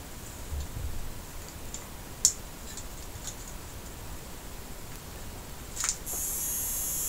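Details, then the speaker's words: Sony XBR 65X850E TV that won't power on: a faint, thin high-pitched buzzing whine from the power supply board grows louder and harsher. The cause is shorted diodes in the power supply. "supply yep so yeah that's the sound is coming from the power supply okay okay so um now with the buzzing noises like this I suspect there is a problem with the power supply"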